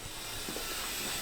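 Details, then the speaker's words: LS-swapped Mustang with a ball-bearing 88 mm turbo, engine shut off after idling: a soft airy hiss and faint thin whir carry on evenly for about 10 seconds or more as the turbo freely spins down; normal spool-down. "true mark turbo's ball bearing 88 millimeter i don't know that's probably been like 10 seconds now"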